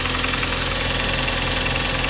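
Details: 2012 Kia Sportage G4KD engine, cold start; harsh, fast metallic chatter over the idle at a steady level, noise began within the week, owner suspects cylinder scoring; engine knock on cold start.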